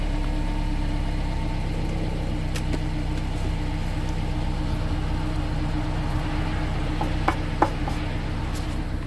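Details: 2016 Subaru Outback four-cylinder, about 80,000 miles, warmed up at low idle in drive/reverse, phone under car at rear driver side: loose metallic buzz with sharper rattles over exhaust hum; heat shields ruled out, internal muffler baffle rattle.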